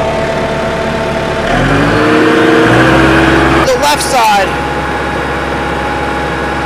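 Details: 1999 Bobcat 864 tracked skid steer: steady engine drone with a smooth rise as the track drives, no clunks, grinding or stalling; drive motor sounds healthy.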